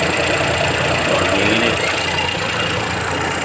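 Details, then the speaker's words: Geely Azkarra 1.5L with white smoke, scanner showing cylinder 1 and random misfire: rough uneven idle with irregular stumbles about three times a second; cylinder misfire traced to poorly burning spark plugs, replaced with NGK. "an so ito yan guys Misspiring o detected cylinder one random per detected so meron problema ito guys"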